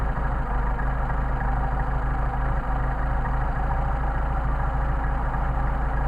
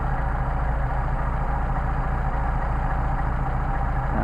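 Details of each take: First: Engine running on freshly tested 190SL carburetors during idle mixture screw adjustment: screw backed out too far makes a low, uneven, loping idle that starts to degrade. The screw is then turned back in to the best-running midpoint. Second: Mercedes 190SL carburetors on test after setting idle mixture screw to the midpoint where it runs best: smooth, even idle, steady beat about three pulses a second, no stumble or hunting; well set.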